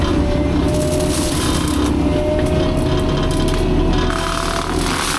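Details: Fecon forestry mulcher after rebuild/overhaul, freshly greased, mulching a test brush pile: heavy steady drone, even low rumble, faint constant hum, no knocking or grinding; normal operation.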